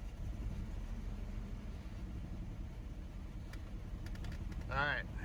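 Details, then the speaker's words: Chevrolet S10 pickup unrun since 2019, after fuel tank swap and mouse-nest cleanup: low idle rumble with slightly uneven, lumpy beat; keeps running but shaking, not idling cleanly. "it's idling it's shaking but idling"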